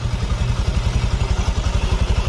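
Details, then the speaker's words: Honda Vario FI scooter after engine rebuild (destroyed piston replaced): low even idle putter, regular pulse, no clatter or knock; breather no longer smoking (smoke there meant compression leaking into crankcase), engine normal. "ya suaranya sudah lembut kembali sudah normal nih suaranya dan di bagian knalpot sudah tidak berasap suaranya sudah tidak Berisik"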